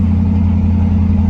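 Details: Old car restarted after a leaking fuel line puddling gas was cut and patched to get home: steady, even low hum with no misses or knocks; engine idles smoothly.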